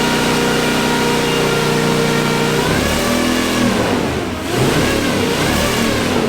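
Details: Off-road wrecker engine on a stopgap exhaust, warming up with no load: even idle rising into clean throttle blips with no miss. Reversed sensor wiring that gave a bad RPM signal has been corrected, the engine is self-tuning and all cylinders are firing.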